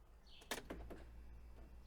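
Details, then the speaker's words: Audi A2, inside the quiet car as the ignition is turned on: a quick run of three or four sharp clicks from the central-locking door locks, the left rear one sounding different; replacement rear left lock suspected faulty, before swapping back the original. "okay there are clicking noises coming from the rear from all doors from central locking but especially sometimes sometimes the clicking noise from the left rear doors is quite different"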